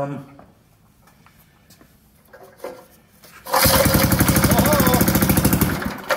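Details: Old Montgomery Ward tiller bought at auction, started on choke with the throttle down: quiet shuffling, then the engine catches and settles into a quick, even chatter of firing pulses around three a second, a clean start.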